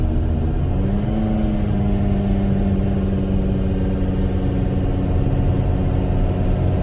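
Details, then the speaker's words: VW Jetta on first test drive after work, fresh gas added (three-quarters tank): engine runs rough, hesitates and lacks power under throttle; codes show misfire in every cylinder, cause unknown, owner wonders if timing is off. "it is still running rough not exactly sure what's going on but it is saying basically a misfire in every cylinder"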